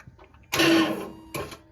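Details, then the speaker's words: With a new, fully charged battery the engine won't crank; two short bursts of starter whine while the crankshaft pulley spins through the belt, pointing to a seized belt-driven pulley (alternator or AC compressor suspected). "uh the engine will not crank over you can you can hear the starter crank the try to crank the engine over you can hear that that whining noise from the starter"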